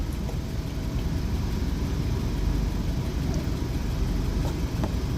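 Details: Jeep Wrangler Sport that died on the road with crank-no-start, now running after fuse/short-circuit fault tracing: steady, even low rumble with no knocks or misses; normal idle.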